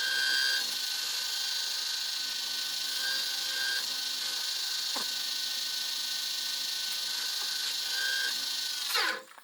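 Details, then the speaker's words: Wood lathe turning a box elder bowl: steady high-pitched whine with faint ticking and chirp, then spin-down; cheap replacement spindle bearings going bad, will need redoing. "If I'd listened to Rich, my bearings probably wouldn't sound like that and got the bearings he told me to get. But I was cheap and I bought cheap ones. It sure sounds like I bought cheap ones."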